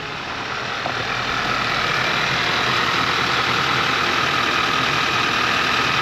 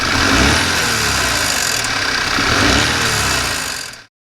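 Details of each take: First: Audi A4 Avant start-up after replacing a blown fuse, the fuel pump control module and a brand-new turbo, with coolant topped up: steady, even idle with a faint whistle, no knocks or misses; new turbo may smoke briefly. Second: Audi A4 Avant: engine revs up and falls back with a loose metallic rattle as revs drop, heard from below; turbo wastegate rattle, with no overboost, underboost or fault codes apart from the heated wing mirrors; turbo to be removed.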